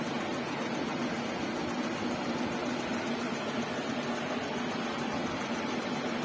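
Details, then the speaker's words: Suzuki Karimun square-body radiator fan running about 40 seconds after engine warms, cycling at 80°C; steady fairly loud whooshing hum, no grinding or wobble, normal characteristic noise, fan working properly. "Lumayan kencang anginnya, suaranya pun agak berisik. Ciri khas dari terapan karimun kotak."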